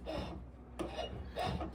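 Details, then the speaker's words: 1971 Oldsmobile Cutlass S fitted with a Classic Performance Products electric E-Booster (Bosch Gen2 iBooster), key on and engine off: three short, smooth, even motor whirs follow each pedal push, with no grinding. The electric brake booster is running normally. "Okay, so the key's on. You don't need the engine running, so it has assist right now, just like it's driving, right? And I'll shut up and let you guys hear it."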